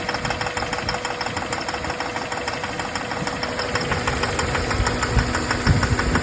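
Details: 2004 Jeep Grand Cherokee WJ 4.0 inline-six at idle: sharp quick ticking about three per second, steady; cause unknown, smoke believed from the intake manifold gasket.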